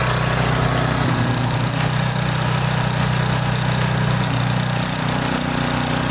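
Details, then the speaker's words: Old Tecumseh 8–10 hp single-cylinder snowblower engine after carburetor rebuild, cleaning and oil change, primed with controls set to full: steady even smooth beat, no misses or surging; runs beautifully after early roughness, probably water, cleared. "This thing runs beautiful. I'm really happy."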